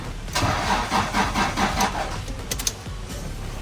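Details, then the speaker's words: Toyota Prado that sat about a year and won't run: starter churns in uneven bursts but engine never catches, no fuel pump hum heard though the EFI relay has power while cranking; dead fuel pump suspected, unconfirmed. "I still don't hear a fuel pump back then so we're going to find our fuel pump next"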